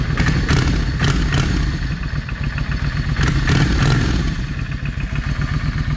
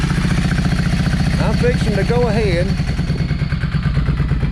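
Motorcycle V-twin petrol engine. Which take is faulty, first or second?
second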